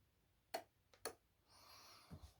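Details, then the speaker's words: Train Tech RL1 relay controller programmed via Roco Z21 on channel two: crisp single clicks about half a second apart as each output switches on and off; clean, even relay action, working. "so i just switched that on that has now clicked with it so it switched out put on so i can switch it off so you can hear the outputs coming on and going off"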